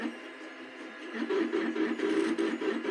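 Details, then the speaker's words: Two Trees Bluer Plus extruder feeder after repair: a thin, uneven whir over the stepper hum, blamed on too-tight mesh between the stepper motor's metal gear and the nylon spur gear. It runs smoother, though the sound may not have been as prominent when the machine was first run. "I think it's a little too tight in the mesh between the gear of the motor and the gear of the spur gear that drives this mechanism here. So that's what we're listening to here."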